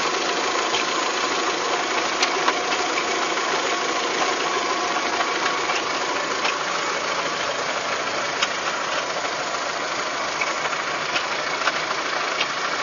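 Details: VW Golf 3 engine at idle: light, uneven ticking and knocking over a hissy background; abnormal knock, cause not yet found.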